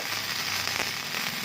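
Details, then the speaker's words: Mini MIG/stick welder running gasless MIG on 3 mm steel at moderate setting (owner says more power would burn through): steady even crackling sizzle without breaks; bead looks very good, normal arc. "Quá đẹp, mic không dùng khí nha. Hàng rất là đẹp."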